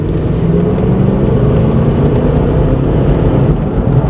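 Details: 1998 Ford Explorer XLT, 5.0 L V8, all-wheel drive, during a drive: low, even V8 rumble holds steady without skips or knocks; engine sounds healthy and runs smoothly.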